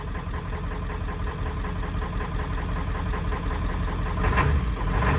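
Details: 1995 Ford F350 7.3 Powerstroke diesel, running after 10 years sitting, glow plugs possibly not working: uneven, lumpy, knocky clatter at idle, a beat or two a second out of step, clean when revved; rough idle, owner suspects injectors, unconfirmed.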